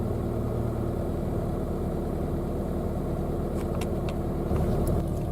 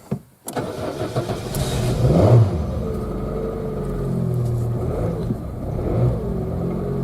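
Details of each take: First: Citroen Saxo, 17 years old, 140,000 km, automatic gearbox, cold start after sitting a couple of weeks: low, even rumble at constant speed with no misses or stumbles; normal smooth cold idle while warming up. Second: Citroën Saxo at 140,000 km, cold start: catches after a short crank, then uneven, lumpy beat and wavering pitch for the first 15–20 seconds; runs fine when warm; cause not found yet.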